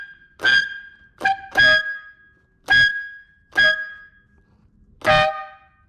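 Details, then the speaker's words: Ferrari air horns after cleaning, oiling and reassembly, being tuned by turning the diaphragm in: short blasts of two brassy tones, one louder than the other and wavering between honks; horn pair unbalanced, out of tune. "because one, it bounces to each other. So one will get louder, one will get softer. So what we're trying to do is we're trying to get it balanced."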